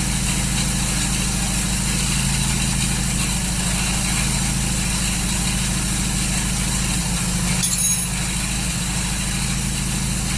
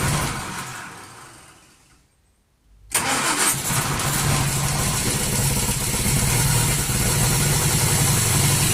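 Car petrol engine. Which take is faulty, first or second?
first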